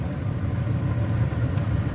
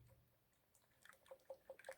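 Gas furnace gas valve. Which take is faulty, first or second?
second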